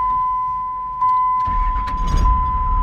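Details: Diesel truck: door chime, then a short crank and the diesel catches almost at once into a steady rumble; starts normally.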